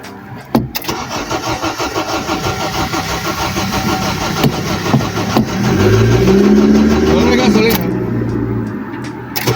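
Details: Honda Civic 8th gen with no spark, no fuel fault, cranked after adding fuel; starter whirring steadily with a brief catch but no sustained running; relay ticking noise had stopped; cranks, no start.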